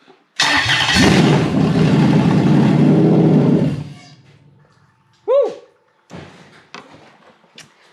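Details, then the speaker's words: Toyota 1UZ-FE non-VVTi V8 running an immobilizer-equipped ECU in a swap: engine catches and runs strong for about three seconds, then fades and stops dead; immobilizer cuts it after start. "you see it started quite nicely and it ran quite well and and then it didn't that's because this unit said to stop because of the immobilizer"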